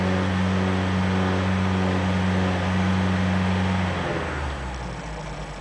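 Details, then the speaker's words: Ford Pinto engine revved to just under 3,000 rpm: deep droning, throbbing resonant vibration, worsening, probably not carb or timing; finally traced to a loose alternator bracket/mounting. "there she goes about just under 3 000 revs you're getting that droning throbbing resonant vibration"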